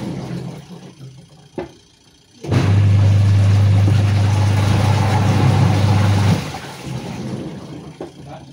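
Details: Sharp EST75MW twin-tub washing machine, final test after repair of pulsator that would not spin, fault traced to gearbox not motor: steady low motor hum runs evenly about four seconds and stops, no grinding or knocking, normal wash drive.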